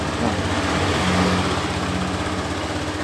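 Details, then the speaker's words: Honda Beat FI scooter that arrived completely dead, running after swapping in a known-good K25 CDI/ECU: small single pulses at a steady, even beat of about four per second with no misses; healthy idle, fault was the dead CDI/ECU. "kita bisa hidup. Coba lagi."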